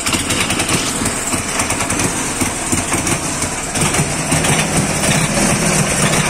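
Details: Dnepr 10-36 motorcycle engine after replacing worn connecting-rod bearing shells and rod (knock cause): steady single-cylinder putter at idle, even, no knock underneath; healthy normal idle.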